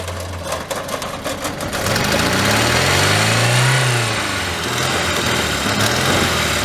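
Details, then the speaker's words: Old Volvo junked as non-starting despite new plugs, wires, fuel pump; fixed by reseating brittle wiring connections at relay: runs steadily, swells through one rev and drops back to even idle without stumbling; normal running. "and it sounds like a beautiful Swedish prick"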